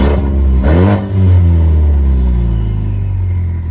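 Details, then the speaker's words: Ford Mustang EcoBoost: quick rev blip then a deep, raspy, aggressive drone, louder than it should be, with a smell of fuel-burning exhaust; owner suspects an exhaust leak, to be checked at a shop. "it sounds a little aggressive [Music] yeah so I can really smell that fuel burning exhaust coming out so I'm gonna get a checked out"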